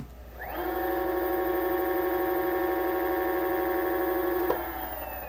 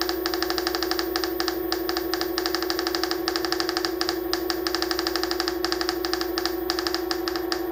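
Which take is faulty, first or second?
second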